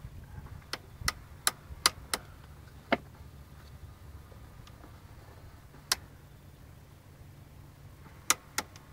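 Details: Nissan 300ZX, quiet cabin: sharp dry irregular clicking clusters from behind the dash, apparently from the gears of the vent control motors in the heater box; cause unknown, owner replaced the whole heater box.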